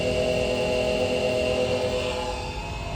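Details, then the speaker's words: 2015 Chevrolet Camaro SS RS convertible, cabin: a steady whirring hum with a thin whine over the cabin air noise; a noisy blower motor, a common fault, needing replacement by cutting the old one out of the HVAC housing. "So one of the real common problems with these cars is the blower motor makes a lot of noise, and I think you'll probably be able to hear it"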